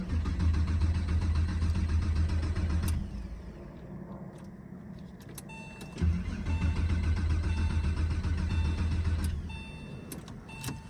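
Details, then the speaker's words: Porsche 996 911 on its first start attempt in over a decade, with no fuel pump heard priming: two bursts of steady cranking at about 220 rpm with no firing; owner suspects no fuel is reaching the engine. "yeah I don't think we're getting fuel I don't think we're getting fuel at all everything back here is spinning"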